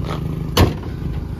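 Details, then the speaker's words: 2011 Chevrolet Cruze 1.6 manual at a normal idle: even and low with no misfire and steady revs, broken once by a brief knock; the exhaust silencer is heard leaking. "в остальном работает ровно не троит обороты у нас не"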